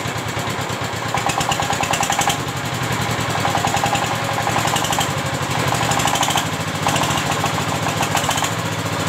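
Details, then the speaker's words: Single-cylinder S-1100 16 HP diesel for well drilling, test run after service and reassembly for surging, poor throttle response and stalling. Steady, even thumping with clean clatter and no stumbles. Now stable and powerful: normal running. "sekarang sudah memasuki tahap pengujian dan suaranya sudah mulai stabil dan bertenaga."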